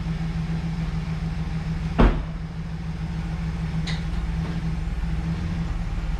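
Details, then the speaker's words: 2011 GMC Sierra 1500 V8 just revived, battery newly connected: deep, even idle with steady low hum and one brief clunk, a slightly squeaky belt noted before; runs smooth and quiet; normal idle. "what do you think looks nice sounds all right huh nice and quiet let this thing run for a minute"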